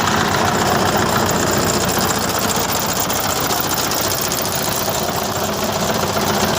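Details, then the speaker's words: Engine idling with a light, regular tapping knock of unknown origin, present for four years. The camshaft was checked, and the pumps and injectors were restored, without curing it. Engine knock at idle, cause unknown. "вот то есть подслушает движок сразу поймет 3 пучит но никто не отгадаете стучит"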